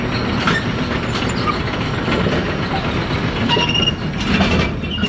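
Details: Bowling pinsetter ball lift on lane 30, cycled during a check for indexing linkage slop: continuous clattering and rolling rumble with occasional bright rattles, even and unbroken, normal cycle.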